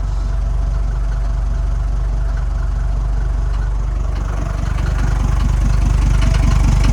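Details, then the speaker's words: Mercedes T1 310D van, OM602 diesel, known compression leak making starting harder: low, even diesel clatter at steady idle with no knocks or misses, smooth and fairly quiet; normal diesel idle. "it's not starting as well as it should because of the compression leak but as you can hear it's pretty nice and"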